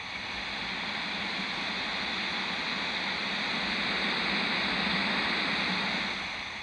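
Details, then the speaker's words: Vintage AM transistor radio tested at a low-signal location: a loud, constant waterfall-like rushing hiss. The owner suspects a noisy or weak bad germanium transistor, but this is not confirmed. "well listen to that waterfall noisy ass transistor maybe this one here is weak too"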